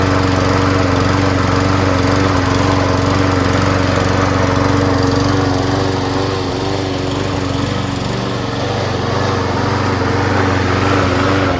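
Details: Free trash-find Craftsman self-propelled front-drive mower with 6.5HP Briggs & Stratton Quantum engine, after carb clean, primed and tested with propulsion engaged: steady, even drone at constant speed, clear hum, no misses or knocks; engine and drive running healthy.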